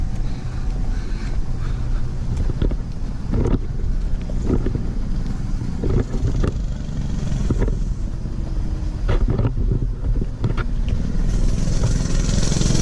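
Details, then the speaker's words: New Mega Moto 212cc Mega Max minibike on its first rides, revved hard passing the microphone: small single with wind rush and several sharp pops on and off throttle; backfire under acceleration. "Oh yeah, that sounded pretty good. I hear some backfires in there."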